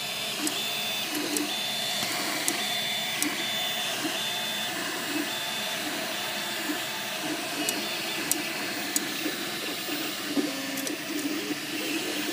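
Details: MakerBot Replicator 2 3D printer running: sharp irregular clicks and faint intermittent squeak over motor hum, coming from the side opposite the motors; cause unknown.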